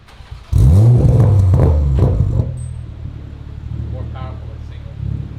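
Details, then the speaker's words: 2021 Toyota Supra after repair of its poorly installed 4-inch single-exit exhaust, whose bent hanger made it scrape and rattle: a sharp deep rev falling back to a smooth burble, with no rattle or scraping. Normal exhaust. "Supra is all done and ready to rock and roll as you can hear no more rattle sounds clean"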